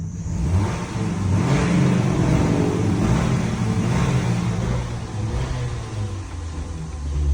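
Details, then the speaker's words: 2012 Ford Fusion 2.5L, no initial codes; stalls after starting and when accelerating, MAF reading near zero toward 2,000 rpm. Revs unevenly, sags and dies on its own under throttle and on letting off; MAF suspected, throttle body, pedal sensor or fuel pressure also possible. "now it's dying out on its own [Music] let off the gas stalls hit in the gas slowly and it just died"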